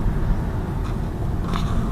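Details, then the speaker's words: 2018 Lada Vesta Cross on a rough road after taping the multimedia frame with soft double-sided tape, camera near the frame: only low cabin road rumble, dashboard trim rattle gone; remaining rattle heard from elsewhere. "Сейчас слушаем, то есть я ничего не слышу, в принципе, тишина. Ага, смотрите, сейчас дребезг, короче, с этой стороны исчез"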